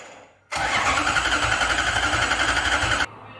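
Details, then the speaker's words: Lexus IS200 with a swapped 1UZ V8 on an ECU Master harness and ECU, first start attempt with the fuel pump not switching on: steady cranking with even compression pulses for about two and a half seconds and never a fire; no ignition. "Pas d'allumage."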